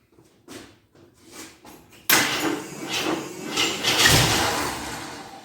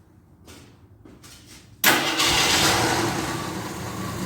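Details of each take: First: 1983 Jeep Scrambler barn find, sat 4–5 years, gravity-fed from a gas can rigged as an IV: brief cranking, then it catches and runs roughly, surging, stalls and restarts; the primed mechanical fuel pump is spraying fuel over the engine. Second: 1983 Jeep Scrambler barn find, sat 4–5 years, fed from a gas can as an IV: a few soft cranks, then a sharp catch and steady even run that eases slightly; it keeps running out of gas, so the can needs raising.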